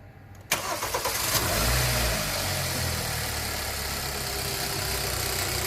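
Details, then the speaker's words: 2012 Kia K7 2.4 GDI Theta II, 143,891 km, after engine boring rebuild (broken crank bearings, failed oil pump and balance shaft; new coils and plugs). It earlier had a gravel-like rattle and shaking. Now it starts with a short flare, then settles into a smooth, even idle. Normal idle. "엔진 보링 완 보니 완료 했구요 보링 하면서 소모품 부 소 이거 레스코 1 스팍 부르고 도 동시 교환 이루어졌습니다 엔진 상태 양호하구요 엔진소리 양호합니다"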